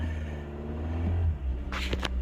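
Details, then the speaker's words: 2019 Toyota Camry that would not start, now running after the fix: steady low hum of an even petrol idle, nothing knocking or missing, a healthy idle apart from a brief handling noise. "the car started as you guys can see you can hear that engine going"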